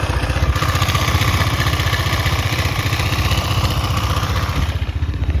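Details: KTM Duke 250 at 12,000 km, idle: steady low thump about four beats a second with a light metallic clatter over it; owner unsure if normal, source unclear.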